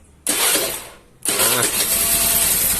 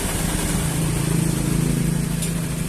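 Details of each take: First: Honda Vario carbureted scooter after reinstalling the original part in place of a faulty replacement: starter whirr, then the engine fires straight away and settles into a steady, even buzz with no misses; clean normal start. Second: Carbureted Honda Vario scooter, normal at idle but at light throttle: uneven, wavering buzz that sounds held back with weak initial pull despite carburetor repair and spark plug replacement; ignition misfire from a faulty CDI.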